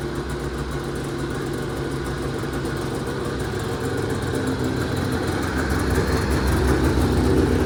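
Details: 1980 Yamaha Exciter two-stroke snowmobile, revived after sitting 19 years, first test run after tank cleaning, throttle cable swap and premix added to the tank: steady even buzz at one speed, no misses or knocks, smoky; running normally.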